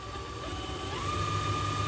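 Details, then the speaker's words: HB R1001 RC Ford Bronco crawler gearbox with shifter problem: thin motor whine rising slightly with a gritty rasp underneath as gears engage; gear grinding. "suara kodok ngorek itu sudah terdengar di gebok dan roda sudah tidak mau nyangkut lagi"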